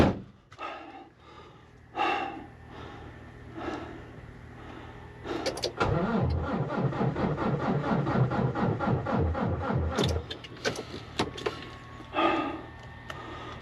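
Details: Volvo diesel truck after an oil change, diesel line blocked, battery around 13.3 V on a jumper: starter cranks at a steady, even chug for about four seconds but never catches; crank, no start from fuel starvation.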